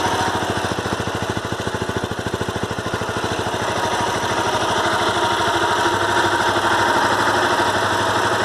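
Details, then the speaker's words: Honda CBR 250R single-cylinder at idle, problem persisting a month: fast, even ticking clatter in time with the engine; service center blames the crankshaft and advises full engine replacement, owner doubts it; cause unconfirmed. "Hi guys, I'm facing this problem in my severe terrific engine sound. So can you tell me what is the reason of this sound?"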